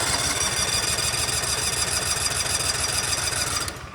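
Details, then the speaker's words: Cub Cadet RZT SX EFI zero-turn mower with a new key switch fitted: a couple of clicks, the starter cranks steadily at about three and a half beats a second but never fires; cause later found to be a faulty relay; crank no start. "So you heard a couple clicks, but nothing happened. So essentially that switch is doing the same thing this switch was doing."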